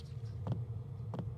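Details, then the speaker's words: Warmed-up diesel heater fuel pump after it was remounted on a new isolator on the camper side: soft, even ticks roughly every 0.7 s over a low hum, still audible but seemingly only slightly quieter; fuel pump ticking. "Definitely hear the ticking still. Definitely seems like it's a little bit quieter. Definitely still feel the pump. I feel like it doesn't seem as loud."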